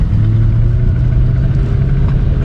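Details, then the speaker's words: 1997 Ford Mustang Cobra (SN95) driven home from an out-of-state purchase: low drone, absent at a stop with the clutch in, that builds with road speed rather than revs, around 2000 rpm in fourth; driveline noise, cause unknown, owner expects an expensive fix. "when i start to move the noise gets gradually louder the faster i go so now it's like connected to the driveline like the speed of the car"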